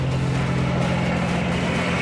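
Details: 2003 GMC Envoy 4.2 L that died while driving, suspected bad alternator, gauge reading about 14 V: loud steady low rumble with a coarse rough edge at idle, no speed change; engine noticeably noisier than normal.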